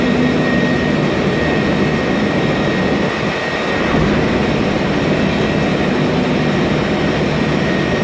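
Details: MAN Lion's Classic city bus, 2007, MAN E2876 LUH03 EEV turbo CNG engine, Voith DIWA 864.3 4-speed automatic, under way: a steady thin whine over a dense roar, from a noisy automatic gearbox.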